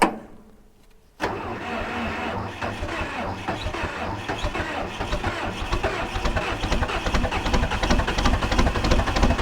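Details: 1980s bulldozer diesel with no glow plugs, cold start at 52°F: silence, then the engine catches with a loud, ragged, uneven clatter that slowly firms up; reluctant to fire in cool weather.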